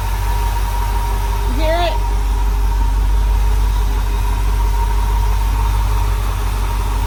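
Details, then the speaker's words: Freshly rebuilt small block Chevy V8 in a white dump truck, first run-in at 50 lb oil pressure: a thin, steady high whistle over an even low idle. Air filter is off and timing is not yet set; the missing air filter is suspected, unconfirmed. "It's making like a whistle sound."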